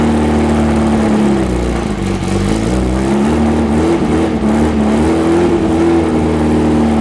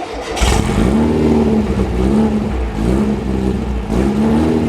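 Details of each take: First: Rebuilt VW 1835 bus flat-four running on a stand, throttle raised slightly: a soft, lazy note that wanders with small throttle changes; ignition timing very close but slightly retarded. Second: Rebuilt VW 1835 Bus flat-four driving on the road with its electric choke: strong, even drone that rises and eases smoothly under load with no misses; runs well, only the lean idle remains to fix.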